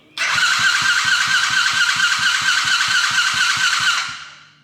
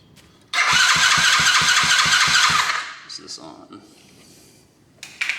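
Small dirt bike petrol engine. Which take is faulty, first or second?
first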